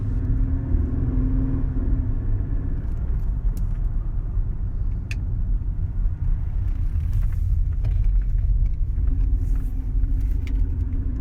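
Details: Mercedes CLK 320 V6 with an uneven, lumpy grumble under a steady engine drone; misfire traced to mis-gapped spark plugs and misfiring coil packs.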